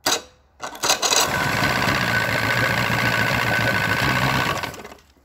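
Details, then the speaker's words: 1999 Force 120 two-stroke outboard from a Bayliner, barely warmed, cold-start button pressed: catches after brief crank, settles into even buzzing idle a few seconds, then shuts off cleanly; starts well. "даем прогреться а еще раз хорошо заводится"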